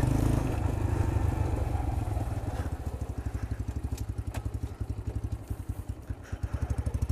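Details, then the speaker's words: New Chinese X-PRO 125cc sportbike on first run: low uneven putter that stumbles and sags, engine bogging; owner suspects low fuel, runs better after adjusting a screw. "yeah it's not it's not very happy right now I mean could it be out of gas"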